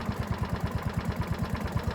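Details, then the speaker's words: Ransomes Marquis mower with Kohler engine: steady, even low putter of about nine beats a second with no misses or knocks; idling smoothly and healthily. "Just do sound good. Listen to it, just purring away. Lovely, lovely, lovely."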